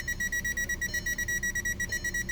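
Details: 2012 Volkswagen Jetta, came in as no-start, converter box replaced, now starts but no communication with any module, odometer lights flashing: steady high beep pulsing rapidly without break; continuous cluster warning chime, bad bus line suspected.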